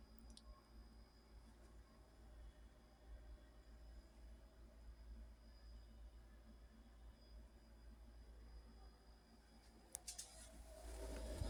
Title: Refrigerator noisy 2